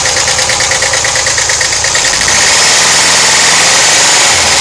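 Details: 1991 VW Vanagon 2.1L Wasserboxer flat-four at idle: loud, sharp, even ticking about three per second from left side of engine compartment; hydraulic lifters suspected, unconfirmed.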